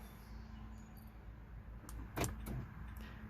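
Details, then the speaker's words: 2018 Nissan Altima front door lock on key fob: a faint, brief click and soft thunk as the lock barely moves. Manual locking works; owner suspects the actuator is too weak or binding. "It moves a little bit. So it's either binding or the actuator is no good. Okay?"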